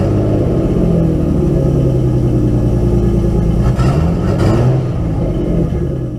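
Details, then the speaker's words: Nissan 240SX S13 RB20DET inline-six after fitting six new ignition coils and a slight idle adjustment: uneven, stumbling rumble lurching as revs rise and fall, one cylinder dropping out; still misfires, cause unconfirmed. "So, yeah, it still misfires."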